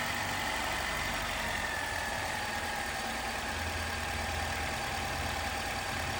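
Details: 2018 Jeep Wrangler JL, 2.0L turbo, after replacing the timing chain tensioner to cure a rattle on cold startup: steady, even idle hum with no rattle or tapping from the front of the engine, timing chain quiet.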